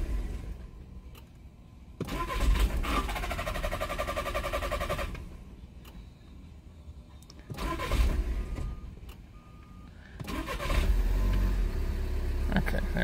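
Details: 2013 VW Jetta 2.0 TDI diesel, crank/no-start that occasionally starts and stalls, cam sensor already replaced, cam sensor performance/signal codes, scope on the sensor; several bursts of steady cranking at three to four turns a second without catching; camshaft position sensor fault.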